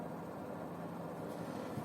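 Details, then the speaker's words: Electric oven after replacing an undervalued X2 capacitor, set to 200 degrees: convection fan runs with a steady even low whirring hum, no rattles or scraping; fan working normally. "О бачите світло засвітилось о дивіться вентилятор конвенції Я не знаю вам не видно напевне"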